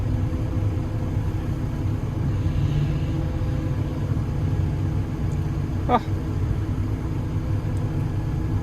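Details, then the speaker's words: Develon DX160-7 excavator that had stopped slewing with a bang, after repair, full rotation completed: a smooth, steady deep rumble with no crunching or grinding; the slew drive sounds healthy. "Anyway, we've been all the way around. There's no crunchy crunchy So that's good."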